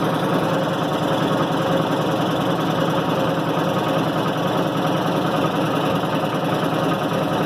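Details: 1990 Maytag LA211 washer on spin cycle: steady grinding groan with constant pitch despite new belts, brake and brake bearing; source not yet traced.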